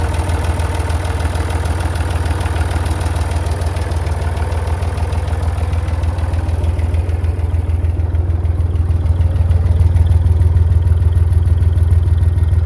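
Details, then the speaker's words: Massey Ferguson MF35 diesel tractor (Perkins) after a cheap partial rebuild, running again: steady even idle with low chuffing about 200 beats a minute, no knocks or misses; normal idle. "but she's running now she's out from under the barn I'll go over some more of that in a little bit let's crank this thing up let you hear it run for a second"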